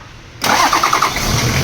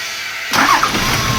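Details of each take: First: Toyota Land Cruiser 70 series diesel that cranked but wouldn't start: with fuel shutoff valve removed it suddenly catches, rough rattle settling to steady idle, confirming faulty shutoff valve; new valve ordered. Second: Toyota Land Cruiser 70 series diesel, previously crank-no-start, after new 24 V fuel shutoff valve fitted: quiet, then cranks and catches within half a second, settling to steady even idle; starts cleanly, fixed.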